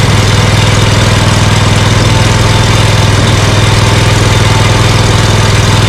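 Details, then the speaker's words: Scag Cheetah mower with Briggs & Stratton Intek V-twin from a Craftsman, after swapping the 791230 carburetor for a cheap aftermarket one to fix a one-cylinder misfire: steady even beat at slightly raised idle, no stumbles or pops; misfire gone. "Well, I think I'm going to go out for a test run and see how this does, because that doesn't sound too bad. But I have a better idea. At least I got rid of that, you know, that horrible misfire and the poop I was getting."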